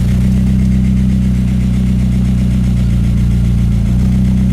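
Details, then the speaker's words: VW MK4 Jetta 1.8T with GT28R turbo, after hard 2-step launches: steady low idle with fast light ticking in the head and uneven, rough idle; ticking worsened on drive home; owner suspects cam chain tensioner or dry lifters, unconfirmed until valve cover off. "so yep a lot of ticking going on in the head my guess is the cam chain tensioner since they do fail or maybe some issues with the lifters maybe dry it out or something"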